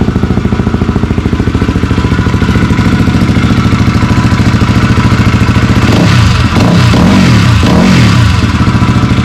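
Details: Yamaha WR250 motorcycle after rebuild and full reassembly, the "after" engine sound: even, quick firing pulses settle to a steady idle, then a few clean throttle blips; normal idle and revving.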